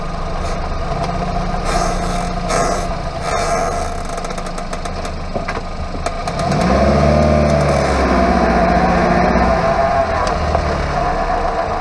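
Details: Hyundai Avante MD (Elantra) wheel hub bearing noise from the underbody: a low steady droning growl that swells with road speed while driving, typical of a worn wheel hub bearing.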